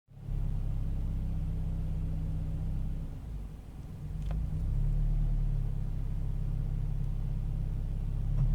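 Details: Toyota 86 at idle: low rumble that hunts and sags around three seconds in before recovering; rough idle, cause not yet clear.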